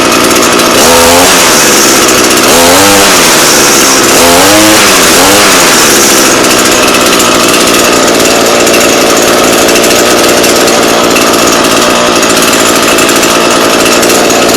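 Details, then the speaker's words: Echo PE-225 two-stroke edger with a non-adjustable carb that would only run on choke; after richening, it blips then holds a high buzz with slight burbling four-stroke breakup. "there's something called for cycling it where kind of sounds like you it's breaking up and it's doing that pretty good how you do that is you rich it so it's screaming and then a little richer"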